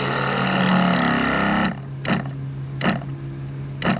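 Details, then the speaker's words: Sprayers Plus 105EX backpack sprayer after pump replacement: steady pump hum cuts out and restarts every second or so, short-cycling from a loose hose connection. "And it's still clicking on. So I took this off again. What I suggest you do is take this hose off first, slide the whole pump and slide the tube in, because I got like 3 more turns out of this thing."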